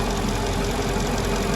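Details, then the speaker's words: 2002 Mercedes-Benz CLK 430 AMG V8 idling after new spark plugs: steady airy hiss over low rumble from a dry-rotted, leaking vacuum hose. "I think I found what was leaking from that was making the hissing sound. It's right here."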